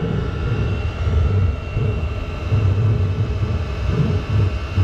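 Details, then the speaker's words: Chinese diesel heater run as waste-oil preheater (PT-10), acting up after burning overnight: deep uneven rumbling roar with surging low pulses under faint steady hum; carbon buildup found centrally over the burn chamber exit. "So it burnt that much last night before it started acting up. The heater's making some really weird noises."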